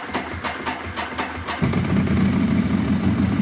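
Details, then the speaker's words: Ducati 1198 with an intermittent no-start and an old battery at 12.1 V: the starter churns in quick even pulses for about 1.5 seconds, then the twin catches first time on reassembly and settles into a steady idle. "First time! Woo! And that is the bike back together."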